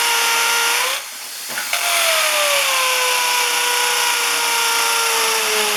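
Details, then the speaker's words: Hammer drill boring into concrete for anchor bolts: high motor whine dipping under load, short pause, then fast buzzing hammer action; the drill works normally. "like I was saying this is a hammer action on on this drill and and you should be able to hear it this one has a really fast the cheaper ones are really fast but the the bigger ones you can really hear it like banging into that concrete"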